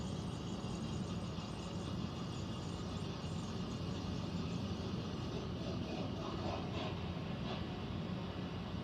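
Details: Central air unit heard in the bedroom, seemingly above the closet, owner also wondering about a leak: constant rushing drone over a low rumble with faint steady tones, no rhythm. Abnormal air handler noise, cause unclear.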